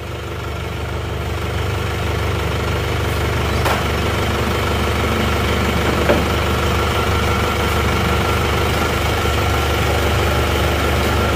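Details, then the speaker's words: Warm diesel (a Penta from Tulungagung, road-tested about 60 km, no oil leaks) idles with an even, steady low clatter, no misses or hunting; thin smoke when hot considered normal, healthy idle. "kalau mesin panas itu akan tetap mengeluarkan asap seperti ini ini ada tipis-tipis asap seperti ini ini adalah wajar"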